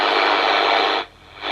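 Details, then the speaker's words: Harvard H-407 CB radio first power-up, RF and mic gain turned up: harsh thin hiss from the speaker cutting out and returning; receiver audio distorted, cause unknown, channel selection works. "that's not sounding right to me pop the mic gain up [Music] yeah that sounds pretty nasty from that speaker"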